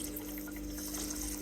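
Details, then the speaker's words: Worcester Bosch compact combi boiler after secondary heat exchanger replacement, not firing up, pump being vented: steady pump hum under a continuous hiss and gurgle of trapped air bleeding out. Air lock in the circulating pump. "and a little bit of an air lock so as you can see you can or you can hear the air in that pump coming out"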